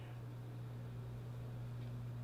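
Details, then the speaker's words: 1965 Fender Vibrolux Reverb, unused about 30 years, original apart from replacement tubes, warmed up with all knobs at 0 or 1, before service: steady 120 Hz hum unaffected by controls, from bad power supply filter capacitors, one leaking. "given the frequency of the hiss and what some reading I've done online that this is probably the filter capacitors on the power supply which is why if none of the knobs have any effect on it because it's not a problem with the preamplifier"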